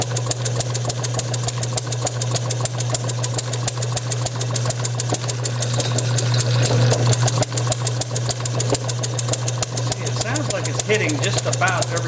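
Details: Bessemer model engine spun by an electric motor, timing just before top dead center: regular pops about three to four a second over the drone. It fires nearly every stroke yet never self-runs. Owner suspects too little fuel/air mixture reaching the cylinder, plumbing to be enlarged, or compression leakage.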